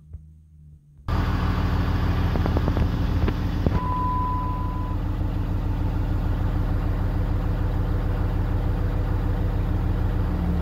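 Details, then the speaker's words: 2007 Dodge with 6.7L Cummins diesel, started after sitting about 45 minutes: steady idle clatter, then thin high squeal about a second when exhaust brake activated. "I can kind of hear it okay it's not as pronounced but I don't know if the camera is going to pick it up or not"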